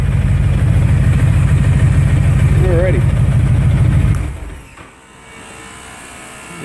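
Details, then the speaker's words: 2005 Honda VTX with Cobra slip-ons, upgraded air intake and rejetted carb (DJ200 main jet, needle slot 4), warmed up just under 1,000 rpm: deep, even V-twin lope holds steady, then engine shuts off leaving a quiet cooling-fan whir; normal idle. "give a listen make sure she's not stumbling too bad if you can hear that or not sounding pretty solid um like I say I usually run my idle up a hair right around just just shy of a thousand"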